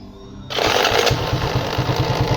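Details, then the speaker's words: Shineray motorcycle single-cylinder engine at idle just after starting: quick metallic rattle riding the idle beat from the magneto (left side) cover, caused by loose lighting coil screws inside. "olha só olha o barulho Vocês estão ouvindo ó Que barulho deu então o barulho aqui na tampa do magneto"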